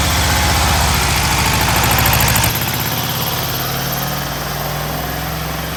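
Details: Freshly rebuilt VW Type 1 air-cooled flat-four from a Karmann Ghia, first start after hooking up the coil, not yet broken in; fast rattly putter drops to a slower, even idle after a couple of seconds with regular, smooth firing; normal idle.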